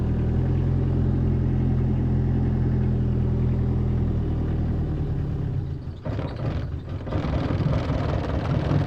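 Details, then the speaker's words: 2018 Bobcat E26 mini excavator diesel at 1869.4 hours, first start after about a month unused and a battery replacement: idle runs steady then sags and stumbles before recovering; owner suspects fuel drains back and briefly starves it. "Come on, stay up. Wow. It's about the roughest I've ever heard it run."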